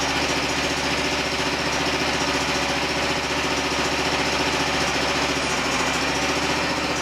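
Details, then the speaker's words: Pump adapted as a hydraulic motor for a DIY mini-excavator mower, first test: steady, even whir at constant speed, no stumbling and no leaks. Broken pulley caused vibration. Working normally. "Looks like we got a winner. Gee, I don't see anything leaking either."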